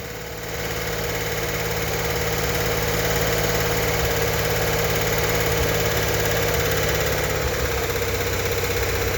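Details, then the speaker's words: 1964 Corvair Monza Spyder turbocharged air-cooled flat-six, fresh rebuild, first startup held at 2,000 rpm for 20-minute cam break-in: steady, smooth fast idle with busy mechanical chatter, lifters clicking before fully pumped up; normal running. "To break in the cam, we need to run the engine at 2,000 RPM for 20 minutes."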